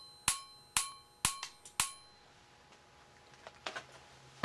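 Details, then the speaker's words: Simplex 35mm cinema projector xenon short-arc lamp ignitor after repair with new spark gap: four sharp crackling snaps then a final strike as the lamp catches; normal lamp ignition. "okay here we go see if that works works oh nice that's working"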